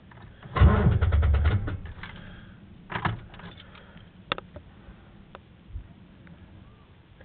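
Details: Truck that sat only two weeks and is hard to start: starter cranks in a brief uneven burst, then stops without catching or running; cranks but won't start.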